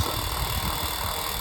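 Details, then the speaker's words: Unbranded 7-inch desk fan, repaired and taped, bearings just oiled to stop rattling: steady, even, loud whir with a smooth high hiss and no scraping or ticking; runs fast and freely. "pretty powerful, but it's loud. Hopefully you guys can hear that. I'm pretty impressed with it."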